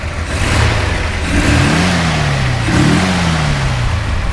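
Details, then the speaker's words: 1963 Ford F100 Custom Cab pickup, new brakes, wheel cylinders and master cylinder; two clean blips, pitch rising smoothly and settling back to idle, no misses or knocks; normal engine revving. "so well go ahead fire it up now runs real smooth it does shift nice we did put any brakes all the way around it new cylinders new master a lot of work went into it go to rev it up a little bit"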